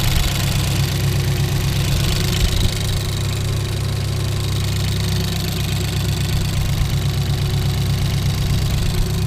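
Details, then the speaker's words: Ford Focus race car, first start during a rebuild after crash damage, cold with the temperature reading 12 degrees: steady, even idle with a smooth low rumble, no misses or knocks; engine running fine, left to warm up. "yeah she's running I'll let that get up to temperature"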